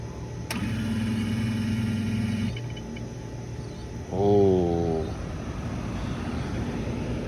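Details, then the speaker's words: Central AC outdoor unit, not cooling: on thermostat call the compressor hums sluggishly for about two seconds then stops while the condenser fan keeps running; compressor fails to start, failed capacitor. "and what we saw was we had that hum of the compressor very very slug sluggishly trying to start the fan stayed on but the compressor that sluggish noise that stopped and that just told me that we have a problem with the starting of that compressor"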